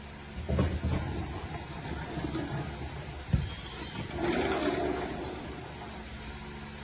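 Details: AWD Subaru Crosstrek XV, bought 2016, that clicked and clunked when turning. Both CV shafts and the center differential/viscous coupling were replaced, and the center differential was the culprit. Now it rolls slowly through a turn with low road rumble and no clicking or clunking.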